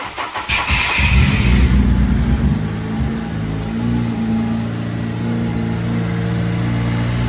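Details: Honda S2000 with newly installed full turbo kit, second start attempt after oil pan refit and new battery; quick cranking catches into a brief rev then drops to a steady even idle; starts and runs.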